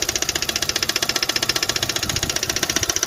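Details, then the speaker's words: Kia/Hyundai G4FA/G4FC engine at idle: sharp, evenly spaced metallic knocks about 150 a minute from the head; teardown found pistons, pins and crank fine, noise from cylinder three caused by a failed valve guide. "so the problem it was coming from uh from the head uh the noise it was coming from the uh uh cylinder number three"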